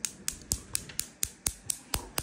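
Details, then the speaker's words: Wolf five-burner gas cooktop CG365P/S, which kept clicking without visible spark, after repair: sharp, crisp, evenly spaced igniter ticks about four per second, sparking cleanly straight to the burner; normal igniter clicking. "you see how nice it makes this um noise and it's sparking straight clean straight to the burner"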